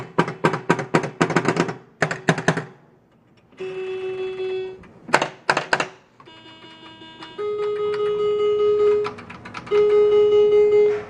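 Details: 1977 Bally Galaxy Ranger home pinball after a capacitor replacement: crisp chimes and rapid even clicks about four a second as the bonus counts down; machine now scores and plays properly.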